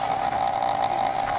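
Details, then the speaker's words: Antique Lux spin-start electric clock, about 2-inch face, held tilted out of its normal position: steady high whir with a faint scratchy edge as the rotor rubs lightly; normal for that position, otherwise very quiet with slight hum. "that's because it's not designed to run like that and the rotor is rubbing a little bit when you do that not a big deal that's normal"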